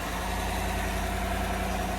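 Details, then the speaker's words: 2015 GMC Sierra 1500 5.3 L V8, just started after the thermostat and temperature sensor were replaced, with about three quarts of antifreeze lost and a little smoke, probably from spilled antifreeze burning off. It gives a smooth, steady idle rumble with no knocks; the fan no longer runs constantly, so it is fixed. "there you go. That fixed it. That fixed it. So, no fan is constantly running."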